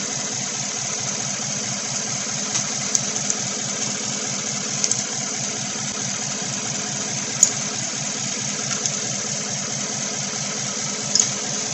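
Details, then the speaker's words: 2016 Chevy Silverado 1500 with 5.3 V8 and code P0300, lumpy idle with an occasional stumble or pop: cylinder 7 misfiring, none on cylinder 3, coil ruled out, 7 sparking but not firing, plug to be pulled. "it says cylinder number seven still misfiring well that's because it's probably F and it's not breeding any misfires on cylinder 3"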